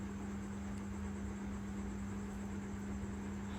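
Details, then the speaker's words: Mercedes-Benz C300 after replacing the complete electronic steering rack for hard steering; low, steady hum while driving and turning, with no groan, knock or whine from the steering. "Now you can see there's no noise."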